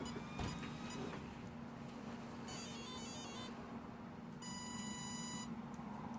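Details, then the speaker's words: Traxxas TRX-4 during steering servo upgrade, radio on and battery plugged in; two clean one-second tones over a low hum right after switch-on from the Castle Creations Mamba X speed control, servo tested: normal ESC power-on beeps. "That's the servo working, just testing it out. But that's the Castle Creations Mamba X speed control beeping at you."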